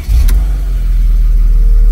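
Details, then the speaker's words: 2006 Mercedes CLK 320 3.0 V6 diesel OM642 common rail, fault code 2513-1 (M55 inlet port shut-off motor position); revs climb sharply then sit flat, won't exceed 3000 rpm: limp mode rev limit. "Yeah, it's limited to 3000 revs. It's still, the engine light is not on, but I'm sure it will come back."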